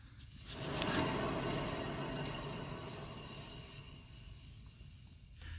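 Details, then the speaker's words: 2013 Subaru XV Crosstrek, 119,000 miles, owner heard noise from rear: hand-spun rear wheel gives a rough, gritty rumble swelling and fading as it slows; heavy grinding that would cause loud humming at highway speeds, worn rear wheel bearing. "this is heavy heavy grinding and that at the highway speeds will cause real real loud humming from the back"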